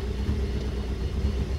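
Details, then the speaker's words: 1975 Toyota Corolla KE35 coupe idling, heard from inside: deep, uneven idle with a lumpy low throb rising and falling irregularly, shaking the car; rough running, cause unclear. "it's very rough like it's shaking me look very very rough"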